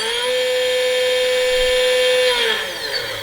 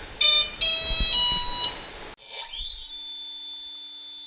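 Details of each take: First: Stock generic 2217 1100 kV brushless motor from Skylark S PNP, no-load kV test without prop: high whine with gritty edge then spin-down; bearings sound worn and grindy, owner suspects this makes it run hot. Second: New Leopard brushless motor for Skylark S, no-load kV test: clean high whine climbs, holds, drops away, no grumble; bearings sound much better than the stock motor's.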